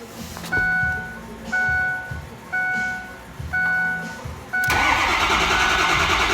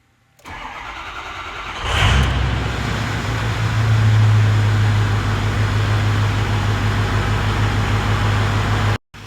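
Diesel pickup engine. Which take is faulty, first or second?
first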